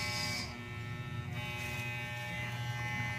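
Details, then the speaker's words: Wahl Super Taper hair clipper after repair of a worn plastic part that softened with heat and rattled; plugged in and run: steady even low hum, no rattle or scraping, now quiet and smooth. "basta yun guys, okay na siya guys, hindi na siya maingay."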